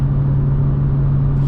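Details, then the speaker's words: BMW M2 with factory M Performance exhaust at highway cruise, heard in the cabin. A steady, deep low-frequency boom, probably around 50–200 Hz, sits under the road noise. Exhaust drone. "that is the sound of drone it's very displeasing to me and that's what i'm trying to remove"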